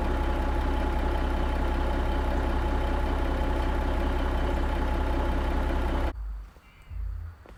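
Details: Kenworth K100 cabover diesel at idle through a newly installed 8-inch miter-cut straight stack: deep, even idle pulsing about four times a second, steady rhythm with no misses or knocks; sounds good, runs good.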